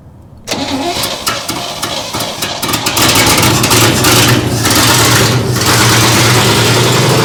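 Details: 1961 Chevy Apache parked about 20 years in the desert, started after reconnecting the dangling main power feed: a short crank, then it catches at once and settles into a steady, even idle with no knocks or misses.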